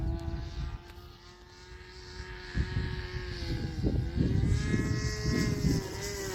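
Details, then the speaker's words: Rebuilt Sig Kougar RC plane glow engine on maiden flight: high buzzing note wavering and sagging in pitch through gusts, running lean from a crankcase air leak; owner suspects worn bearings. "That sounds like it's running a little red. I think it needs bearing."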